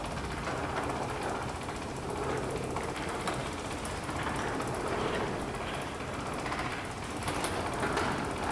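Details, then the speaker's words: Linear garage door opener, DC motor with roller chain drive, after adjusting chain tension: steady, even chain rattle throughout door's down travel, no snatching, slapping or knocks; properly tensioned, sounds really good. "sounds really good on the down now we're gonna test the up that's perfect roller chain by Nature is gonna be a little more loud"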